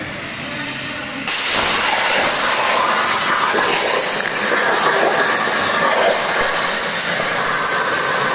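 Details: Hypertherm MaxPro200 on a CNC plasma water table; sharp jump at arc start into a steady harsh roaring hiss held evenly through the cut, normal plasma cutting.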